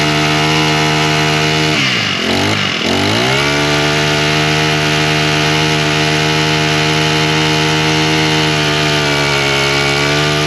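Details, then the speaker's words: Husqvarna straight-shaft two-stroke string trimmer, primed, started on choke, then half choke with throttle: revs briefly, then a steady, even, clean buzz. It runs fine; the owner still suspects the gasoline, which has trash and possibly a little water. "Well, seems to run just perfectly fine. I'm still saying that the gasoline is probably what the problem is."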